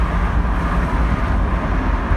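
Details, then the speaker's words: Vauxhall Mk2 Cavalier while driving past a high wall: steady low engine drone with faint breathy puffing following revs; exhaust joint leaking, improved by wiggling it, exhaust paste planned; exhaust leak. "and obviously an exhaust you can't yeah you can just hear it here where this high wall is"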